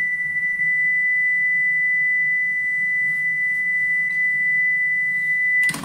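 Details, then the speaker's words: Tascam 238 Syncaset eight-track cassette playing MTT12 test tape at power-up, checked for reported capstan speed instability: steady high test tone holds pitch from the start with no ramp-up or wavering; capstan speed stable. "based on what Adrian was saying um that maybe I was going to hear it sort of ramp up to pitch I'm not really hearing that"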